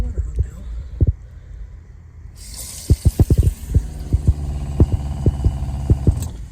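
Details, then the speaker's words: RV fresh water pump after a freeze and technician's plumbing work: low thudding pulses about twice a second over steady hum; now very loud where it was quiet before. "And then also when I turn my water pump on it is so loud. Before it was not loud at all. Now it is super loud."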